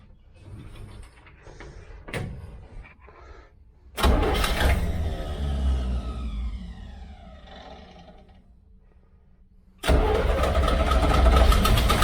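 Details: 1969 Chevy Van with one-barrel carb, off the road 35 years, in neutral: long bursts of steady starter cranking, about three turns a second, with no catch or firing; cranks but won't start. Cause suspected, not confirmed.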